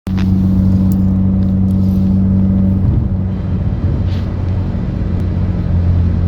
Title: Evo X buzzing noise